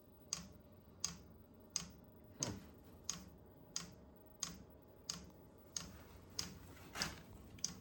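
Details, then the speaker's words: Vevor 8 kW Chinese diesel heater, first test run after install, fan picking up: crisp, even dosing-pump clicks about 1.5 per second over faint fan hum; normal fuel pump ticking. "A pretty steady click out of there now. There's a lot of air in that line, right?"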